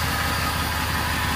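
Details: 6.0 diesel started after a long time sitting; even, steady idle with a regular low chug and a touch of exhaust hiss, possible exhaust leaks, running smoothly with no knocks or misses.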